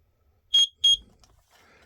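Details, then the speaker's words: Garrison CO alarm, 10-year lifespan, expiry date December 15, 2013; two short piercing beeps repeating every 30 seconds while the display shows "End". Batteries are still good, so this is an end-of-life warning and the whole alarm needs replacing. "It's beeping now. You'll see it beeping in a sec here. And it's not the batteries. It's the end of the 10-year lifespan of the CO alarm from Garrison."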